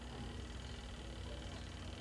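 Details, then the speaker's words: Spin dryer of a twin-tub washing machine switched on: faint steady low hum inside but the motor never spins. Capacitor and motor are suspected. "io-on natin dito ayan hindi siya umikot pero umugong siya sa loob"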